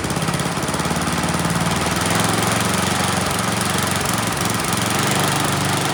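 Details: Neglected Troy-Bilt Storm 10030 snowblower with Tecumseh HMSK105 single-cylinder, found with no spark and a suspect carburetor, runs on its own after starting fluid; busy, fairly steady putter with no knocking or misses, choke off, runs pretty well.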